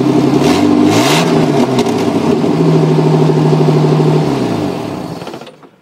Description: Just a quick video of my '89 Cherokee with an exhaust leak at the down pipe.